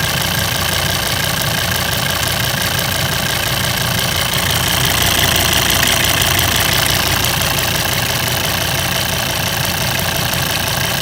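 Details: Volvo 136 kW engine at even idle: fast light ticking, about three per second, over the engine note; owner unsure whether it is normal.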